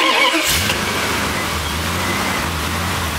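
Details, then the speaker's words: 1971 Dodge Challenger Pace Car V8, converted from Holley EFI to self-tuning EZ-EFI, warm engine: quick catch, the idle air control motor kicks in and it settles straight to a steady 950 rpm idle with no stumble; healthy warm start. "can see it starts right up. You can hear the idle air control motor kick in, and it right away goes to my idle that I had it set to 950."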